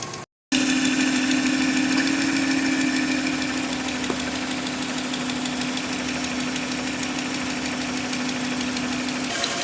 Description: Grand Cherokee 5.7 engine ticking noise at idle